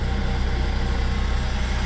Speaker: Engine sounds good so far.